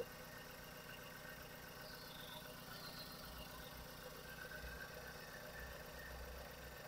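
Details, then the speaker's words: Ford S-Max 2.0 EcoBoost after timing chain replacement, first start after cranking to prime oil; quiet steady idle getting quieter, no rattle or tapping from the front, no leaks; normal idle. "see it's good when it doesn't start straight away means it's a primes with oil with a starter because if it starts straight away it star the engine of oil temporary so when you crank it a few times it is actually starting M to Prime the enging with oil getting quiet and quieter no leaks"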